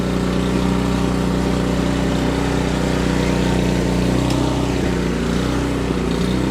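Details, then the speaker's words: Canadiana snowblower, Briggs & Stratton 800 series single-cylinder engine, choke on, fresh fuel, after an ultrasonic carburetor clean: runs at high speed but wavers up and down unevenly; lean-mixture surging, confirmed by the spark plug. "it's running, and that's a good thing, I guess, but it's running very poorly. It surges up and down."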